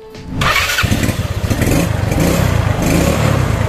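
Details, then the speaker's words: Yamaha Mio scooter after repair for hard starting (as if the carburetor were flooded): parts were oiled and a spring cut, and it now gives a brief starter whir, catches at once and settles into an even, steady idle. "dan normal, tidak seperti sebelumnya. Memulainya tadi memang sulit, kawan."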